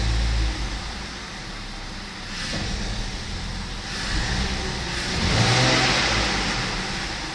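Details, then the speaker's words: BMW 520i E60 2.2 M54 petrol: idle stable, but engine hesitates and sounds choked when accelerating between about 600 and 1100 rpm before picking up; intake air, idle control valve, vacuum leak or sensor fault suspected. "meu carro tem uma avaria que falha, tem uma falha, uma quebra ao acelerar entre as rotações de 600 e 1000 e pouco. Portanto, parece que abafa."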